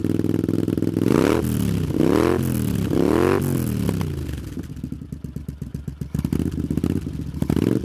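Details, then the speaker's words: Honda CX500 cafe racer twin, finished project, just started: sharp throttle blips rising and falling, then an even, steady twin idle with a crisp exhaust beat; runs healthy, idle revs need adjusting. "it sounds good doesn't it um the revs need adjus in a bit but other than that um it's spot on and it sounds quite nice as well"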